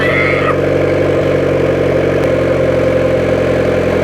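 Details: 1994 Honda Civic EX, newly rebuilt engine after first start-up: starts and settles into a smooth even idle with steady low hum, no knocks or misses; normal idle.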